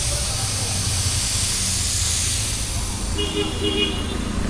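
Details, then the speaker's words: Mitsubishi Pajero on a trip, engine idling: steady hiss of escaping steam; coolant leaking from one side of the radiator top tank, which has loosened. "പുള്ളി എന്തോ പറഞ്ഞ റേഡിയേറ്ററിൻ്റെ top complaint ആണല്ലേ? അത് കണ്ടില്ലേ അവിടെ തന്നെ നമുക്ക് ടോപ്പ് ഈ ഒരു സൈഡിൽ നിന്നാണ് വരുന്നത്. ടോപ്പ് ഇളകിയിട്ട് ആ ടോപ്പിന് വരുന്നത്."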